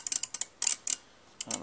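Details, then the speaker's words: Brushless motor running on sensors, pulling through all six steps: crisp little clicks in quick bursts as the relays actuate in sequence while it turns; normal relay commutation. "so you can see you can obvious hear it go okay so it's actually the relays in sequence"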